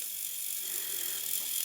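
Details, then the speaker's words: 3D printer pen with the feed button held until it locks into feeding: high, thin whirring with an uneven, strained edge; the feed motor struggles to push green filament out. "So I'm going to hold the feed. Sounds like it's struggling a bit, but yes, it has locked."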